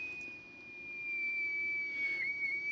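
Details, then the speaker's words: BC455 (ARC-5 command receiver) under restoration, BFO warming up on a 7 MHz signal generator: high whistle wandering and dipping in pitch; oscillator very unstable and noisy, owner suspects the CW oscillator. "and what I've discovered, having got the oscillator working, is that it's very unstable and it's a bit noisy."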